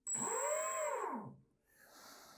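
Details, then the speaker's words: RC airplane brushless motor on a Detrum Blitz DT9 transmitter during setup, throttle raised from idle then lowered: clean whine rising in pitch, then falling away smoothly; normal unloaded motor run. "the throttle is down and the motor is not running that means I've got that one set so I don't have to worry about that if I bring it up you can hear it"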